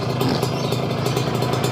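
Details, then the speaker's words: Kawasaki Ninja 2-stroke, warmed up after 20–30 minutes of running: steady, even burble at constant idle with no misses or clatter; runs smoothly, said to sound like a stock bike. "nyala merah halus seperti motor biasanya standarnya pakai blog baru senang terbaru punya motor standar suaranya sama"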